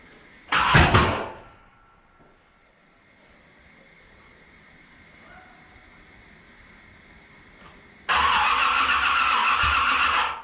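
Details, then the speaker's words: 1981 Corvette that has no start after upgrades: two cranking attempts, each ending in a loud backfire bang. The cause is unknown; the owner doubts the timing is 180 degrees out. "Well, I'm deaf now. We're no closer to what the problem is. Unless she's 180 out, which I don't think is physically possible, considering we double checked everything as we put it together. What? Yeah, it's just backfiring."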